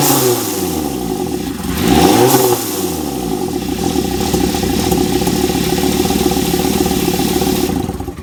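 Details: 2001 Volvo V70 T5 petrol engine idling with one quick rev: faint steady whistle over idle, pointing to a vacuum leak; suspected, not confirmed.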